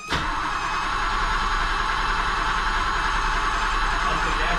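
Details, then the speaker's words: 1978 BMW E12 530i first cranking in 16 years after a fuel pump install, tank drain, oil change and new battery: starter spins evenly, no firing; crank no start because no fuel is reaching the engine. "let's see if she'll crank over No oh it sounds like she's going I love to start a cool off it's not it sounds like it's about to go"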